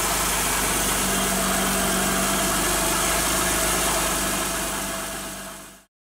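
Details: Car idling with a steady, piercing high squeal from a drive belt that got wet and slips on its pulleys; recorded before the fix of applying cornstarch to the belt.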